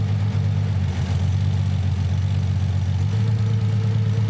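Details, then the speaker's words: Nissan 300ZX (Z32) with a low uneven idle loping about twice a second; cutting cylinder two with the Consult tool brings no change, so it is not firing. "I'm going to turn it off now and you hear no change in the sound of the engine that means number two cylinders not firing"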